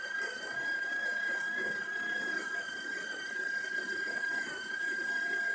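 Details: Breville Oracle Touch after full service and tune-up: steady, even high-pitched motor whine from the built-in burr grinder, no wavering, knocks or grinding bursts; normal grinder running.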